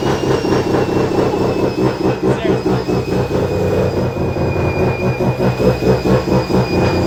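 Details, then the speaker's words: Mazda FD RX7 bridgeport rotary with T51R single turbo, test run after confirming turbo oil feed and that front and rear housings are not scraping: loud lumpy burble about two beats a second, no grinding, turbo spools down easily; running normally. "And that ran fine. The turbo spooled down nice and easy."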